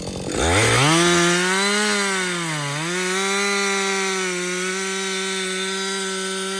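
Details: Husqvarna 562XP chainsaw, reflashed at the shop for dying when hot, stumbling and no-start; now hot after its longest continuous run. Screams up to a steady high pitch, sags briefly biting into the wood, then holds clean revs. The owner says it is running its best ever. Normal running under load.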